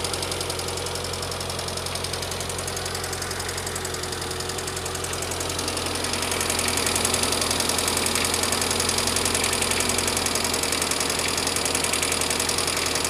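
A fast, regular light ticking rides over the idle and grows louder after a few seconds: top-end ticking, cause unconfirmed.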